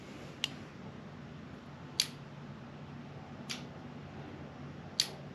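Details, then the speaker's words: Late-90s Subaru factory harness and ECU trimmed for a VW bus conversion, bench-tested: the fuel pump relay switches normally with ignition on, four crisp clicks about one every 1.5 seconds over a faint room hum. "you can hear the relay is clicking right here that means that our fuel pump is working"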